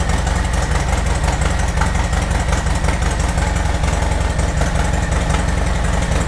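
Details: Harley-Davidson Sport Glide V-twin started while stationary after a hose-down: deep lumpy idle with strong bass and no knocking or rattling; sounds good, healthy idle.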